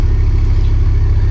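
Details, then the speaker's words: Mk5 VW Golf GTI with cylinder 3 misfire showing once warm, garage suspected split piston or ring but compression and boroscope suggest not mechanical; loud uneven stumbling beat under the bonnet and exhaust. Misfire. "it starts missing and uh you can hear it under the engine as well under the under the Bonnet it's the engine's not happy"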